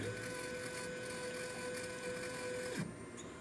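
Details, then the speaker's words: Mechanica Cortini CNC lathe retrofitted to Mach 4, jogging an axis from the pendant: steady high stepper whine then sweeping down as it stops, sounds rough; abnormal axis drive noise, cause not yet found. "I have the pendant working and all three axi that's z x something sounds not great there right now"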